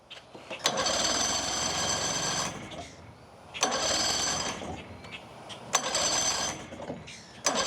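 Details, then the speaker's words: Outboard on an abandoned boat that sat 10+ years, 12 volts confirmed, starter fluid added: three roughly two-second bursts of starter cranking, never catches. No spark, and the shifter is frozen solid. "The motor doesn't really start. It has no spark and the shifter is frozen solid."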